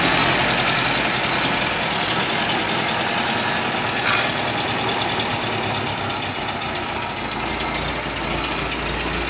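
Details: Datsun engine idling with a loose, uneven beat and occasional stumbles over a hissy background, consistent with a misfire at idle.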